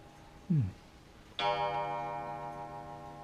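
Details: Antique Grandmother wall clock before repair and cleaning: a single clear bell strike fading over two seconds, heard while disconnecting the pendulum; the chime still strikes.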